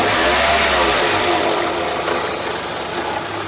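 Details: Renault K7M engine idling: odd extra noise, a loose, somewhat irregular beat laid over the run; abnormal extraneous engine noise, cause not identifiable by ear.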